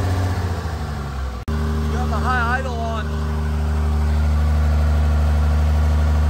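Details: Freshly installed 1500hp Cummins diesel, run without coolant, cam break-in sweeping about 1000–2000 rpm during hot re-torque: deep even drone settling into steady high idle, no knocks or misses. Normal high idle.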